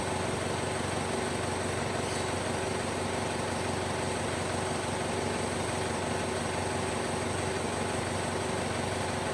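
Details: Isuzu Panther Touring turbo diesel at idle, started after fixing a turbo timer that had stopped working; steady, even idle with a regular beat, no knocks or rattles; engine healthy.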